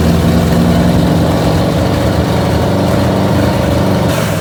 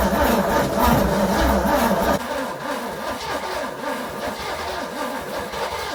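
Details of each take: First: 1969 Pontiac GTO 400, 3-speed, idling after its first start since sitting from 1978: a deep, loose burbling V8 idle with uneven low pulses but no knocks or ticks; it sounds good. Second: 1969 Pontiac GTO 400, three-speed, first start after sitting since 1978, new distributor cap, old plugs: cranks, catches, runs rough a few seconds, surges, sputters out; starving for fuel, carburetor needs rebuilding.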